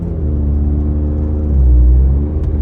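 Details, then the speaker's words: 2012 Scion tC automatic, previously slipping and not shifting, after replacing two shift solenoids: deep engine drone rises under acceleration then drops as it changes up cleanly, no clunk or slip; shifting normally. "But now the gears are shifting, which it wasn't doing that before."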